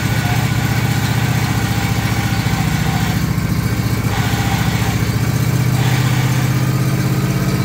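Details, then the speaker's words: John Deere LA135 lawn tractor, clutch let out so the idler tensions the belt: steady single-cylinder drone with a rough rumbling undertone; worn idler pulley bearings under the body between deck and body, to be replaced. "that is the uh idler bearings idler pulley bearings uh that is sits under the body between the deck and the body there's two of them there"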